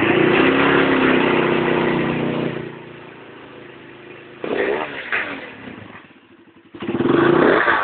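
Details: 250cc D7 engine after its misfire was fixed revs up cleanly, falls back to a steady idle and blips again with no stumbles or gaps; firing is even on every rev, so it is running normally.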